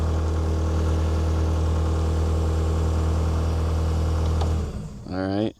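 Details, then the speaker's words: New Holland L218 skid steer diesel after bad relays were replaced: it cranks right up and idles evenly with a deep, low drone, then shuts down cleanly. It shows a fault code, believed to be 3390. Normal start and idle. "So, if we just turn the key over, cranks right up and starts."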